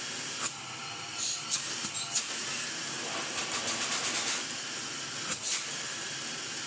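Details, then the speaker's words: Restored 1960s American Electrolux Automatic G vacuum cleaner; the motor was never disassembled. A soft, even airy rush over a gentle hum with no rattles or grinding; the motor runs quiet and healthy. "It just hums, it's so quiet, it's lovely."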